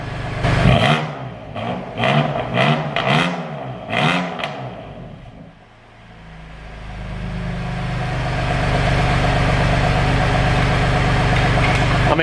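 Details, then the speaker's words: Crash-damaged BMW M2 Competition in Sport Plus, exhaust valves open: five sharp loud throttle blips falling back cleanly, then quiet even idle; engine healthy, exhaust just very loud. "whoa that is loud it's very much giving me C63 pipes here not the noise itself but the fact that it's really quite unidal but when you rev it it's ridiculously loud"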